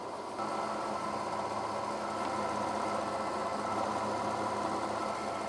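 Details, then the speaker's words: Chevy Tahoe after a clutch-fan-to-electric-fan conversion, first wiring test on low speed before PCM pinning and tune; even whir and soft hum with no rubbing or rattle, both fans pulling air, polarity correct. Normal electric cooling fan operation. "both are pulling air so i didn't reverse the polarities"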